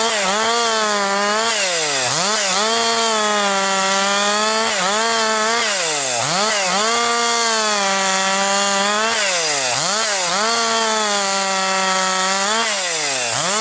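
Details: Rebuilt Husqvarna 262XP chainsaw, nearly broken in, really woke up over the last couple tanks with decent pull, bucking dry, dusty pine; strong high revs dip cleanly as the chain bites and snap back each pass; normal cutting under load.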